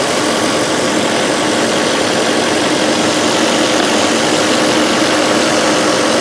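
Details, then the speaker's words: 2005 VW Touareg 4.2L V8 idling, lean faults and stiff brake pedal: steady airy hiss over even idle from big split in vacuum hose; vacuum leak. "right here there's a big split in this house all right so real quick it's probably it just needs this break vacuum hose"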